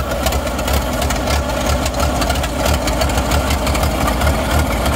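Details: 1940s Caterpillar Fifteen bulldozer barn find, hand-crank start after being flooded: loud lumpy low-pitched chugging at a steady idle, firing evenly with no stumbling; engine running fine.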